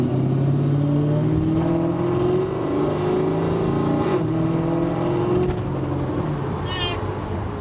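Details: 1986 Pontiac Trans Am with LT engine swap, cheap 4-inch cat and muffler, under acceleration: deep V8 growl rising in pitch with heavy boomy drone at one spot in the mid-RPM band; exhaust drone.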